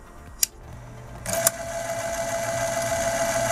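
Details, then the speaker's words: 1970 RCA YLG43 reel-to-reel tape recorder after a short-term repair: two clicks as the rubber pinch wheel engages the pulley, then a steady, even motor hum; the takeup drive works normally and now holds strong tension. "On a un bon fonctionnement maintenant lorsqu'on applique la poulie, la roue caoutchoutée dessus."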